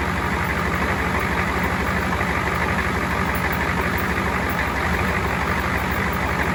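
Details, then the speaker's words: Ford 7.3 diesel first start after fitting a first-generation Banks turbo kit with a homemade intake hat: steady smooth idle clatter with no stumbling, no oil leaks seen; engine sounds healthy. "yeah i'm pretty happy with that sounds good i don't see any oil leaking"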